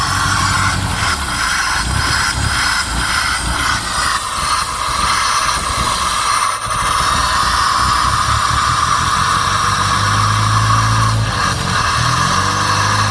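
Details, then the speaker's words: 1989 Shelby Daytona four-cylinder, possibly swapped engine, intercooler missing, sat about 14 years on 14-year-old gas, started with borrowed coil wire and no prep; steady, slightly rough idle with faint hiss: running fine. "oh all right well will it run yep with zero prep and a coil wire"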